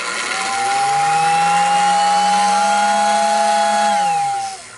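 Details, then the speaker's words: Lionel pre-war 48W whistling station: steady high whistle riding on a drill-like motor drone that rises, holds, then winds down; lack of lubrication suspected, though it is lubed. "it's like a power drill with a whistle attachment that's because you don't have it lubed enough"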